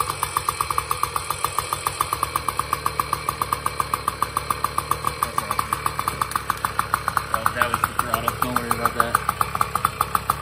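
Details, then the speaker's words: 2002 Tomos Targa moped, two-stroke 835 engine, about 320 miles, after fixing flooding float, just started first kick: quick, evenly spaced popping at steady idle, no misses or knocks; normal idle. "look at that all right well now that we know that it runs pretty good"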